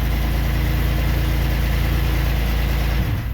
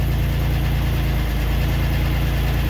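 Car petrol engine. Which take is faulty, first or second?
second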